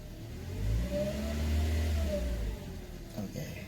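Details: Toyota Calya after the fuel filter was removed and cleaned (complaint: hot engine, loss of power), ignition left on about 30–60 s to prime the fuel: the engine catches cleanly, revs smoothly and settles with no misses. Normal start.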